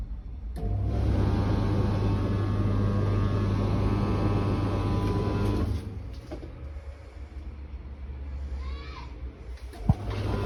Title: BEKO tumble dryer making some strange noise lol